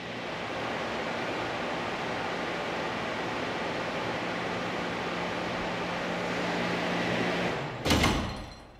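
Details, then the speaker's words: Test flow loop with a cushion swing check valve held only partially open by a heavy weight and lever: steady pump and water rush, then the pump trips and the valve slams shut with a hard bang, about 160 psi, shaking the pipeline. "was about a hundred and sixty psi slam as recorded on the computer you could see that the valve closed violently causing the entire pipeline to shake"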